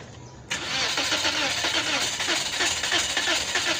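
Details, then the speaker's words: 2022 Toyota Vios dual VVT-i cranking about three seconds at roughly three pulses a second without starting; blown 15 A ignition fuse caused by two grounded, very hot ignition coils. "Sobrang init yun lang kahapon kahit binalik si Hindi moandar kasi nga pumutok ang bilan fuse na 15"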